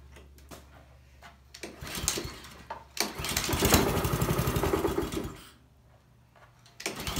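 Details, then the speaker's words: Honda walk-behind lawnmower during a tune-up, after an oil change, new spark plug and blade check: the engine rises and falls in waves instead of holding a steady governed speed. It surges at full throttle and dies when slowed, so the carburetor is coming off. "um all right let's go ahead and change the oil new spark plug check the blades and then we'll start it back up if it's still surging like that then we'll have to pull the carburetor off"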